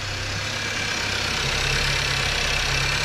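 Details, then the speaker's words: 2018 Skoda Octavia 1.5 TSI (about 110 kW) after repairing its engine knock, with copper grease applied: a steady, even idle hum with a light top-end hiss and no knocking or rattling. The repair was successful and the engine is now quiet. "Powinno teraz hałasować jak skurczybyk a teraz jest cichutko tutaj nie ma ani grama luzu nie hałasuje także chyba się udało"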